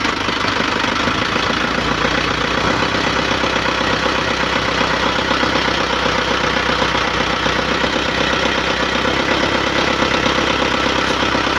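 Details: Nissan Panther (Isuzu Panther) diesel after rebuild with NPR liners and original piston rings, idling just after restart: steady, even diesel clatter with no misses, knocks or surging; an oil/blower hose was found leaking; idle sounds healthy.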